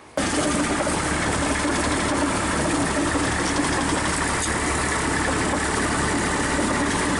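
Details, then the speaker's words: Komatsu PC40 excavator with its original Yanmar diesel, running while being moved before an engine swap to a Cummins: steady run with a faint squeak over a dull rattle; the owner suspects a main or rod bearing, unconfirmed. "it's squeaking you can hear the main or the rod bearing i think it's fun so hopefully it don't lock down"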